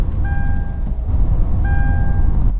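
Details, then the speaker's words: Modern car at low idle on a cold winter morning: two clear electronic chimes with a dashboard symbol, the frost warning at about 4 degrees or lower. "you get that beeping noise. So that's a frost warning. You'll also notice a symbol on the dashboard. So basically when the temperature gets about 4 degrees or lower, modern cars will warn you there's a high risk of frost or ice on the road."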